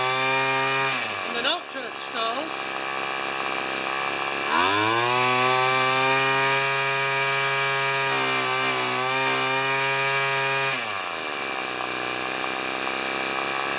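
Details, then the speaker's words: String trimmer two-stroke whose fuel cap drips, carburetor previously set very rich and being readjusted: high buzzy note sags and wavers, picks up, then drops off and stalls; wrong carb mixture setting. "ah ah okay so i got it running just on the rich side between the rich and the lean turning out turning it out for rich and in left and right for lean"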